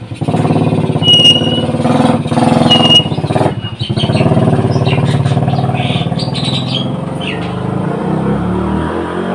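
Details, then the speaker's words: Honda Supra motorcycle after replacing worn clutch plates and scored clutch bell that caused weak, slipping pull on hills: steady engine note rising and falling smoothly with throttle, no rattle or bogging; heaviness gone, normal running. "jadi permasalahan ditanyakan yang terasa berat atau ngompol sudah sudah hilang"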